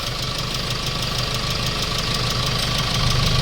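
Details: Hyundai Starex D4CB diesel, replacement engine for blow-by, about 30 minutes running: even idle clatter about three beats a second, no misses or knocks; no smoke and no oil spray at oil cap or breather; healthy.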